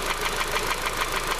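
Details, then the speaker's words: Honda CR-V petrol engine warmed up at slowed idle; light quick tick about seven times a second, not from the serpentine belt, no louder with oil filler open, persists when revved; loose tappet suspected, unconfirmed. "right well the engine has slowed down it's warmed up and you can hear that knocking now"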